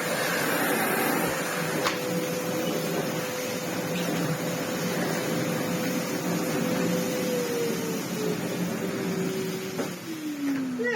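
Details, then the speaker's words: Old, heavily used red Sebo C2 Total upright vacuum, run bagless, cleaning sculpted carpet: steady motor roar with high, fairly even tone that sags slightly under carpet load then recovers; works fine, normal running. "That works all right, even on this nice sculpted carpet."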